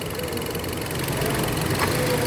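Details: Uneven, lumpy idle with irregular stumbles and a loose knocking beat instead of a smooth hum; engine misfiring at idle.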